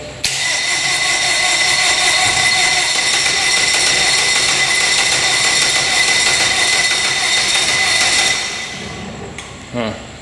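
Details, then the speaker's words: Outboard on a flats boat, primed and cranked; the starter churns steadily for about eight seconds with no catch, and a lot of smoke comes from near the throttle body. It won't start, the cause is unknown, and the owner plans to pull the head. "it sounds like she wants to start a lot of smoke coming out of the right here it's where throttle body is hmm she doesn't want to start"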